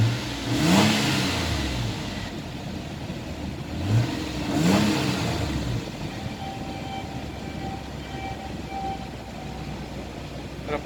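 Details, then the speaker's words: Nissan Elgrand NE51, VQ35DE engine, automatic 4WD, 107,000 km, tested in Japan before dismantling: two quick revs rise cleanly and settle back to an even, steady idle with no knocks or hunting. Normal engine running. "Работает ровно, оборот не плавает, АКПП переключается, все работает. Двигатель работает ровно, грязи не идут."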